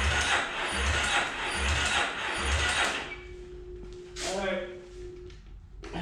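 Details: 2008 Yamaha Raptor 350 ATV with spark and starting fluid, cranked by jumping the solenoid; labored even cranking pulses with no firing; compression tests 60 PSI versus the 100-120 needed, worn top end.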